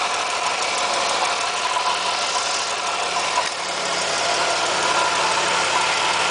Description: Another video of the ticking noise.... 1997 Firebird 3.8L